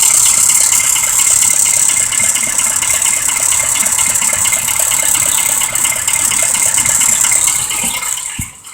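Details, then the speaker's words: 2005 Ford Expedition 5.4L in drive on an incline idles rough and rattly with a ticking pulse, about four a second, and misfires under load; forward clutch not working, and the engine also needs maintenance. "Alright, this engine is obviously misfiring. It's hardly running on its own when you put it underneath a load."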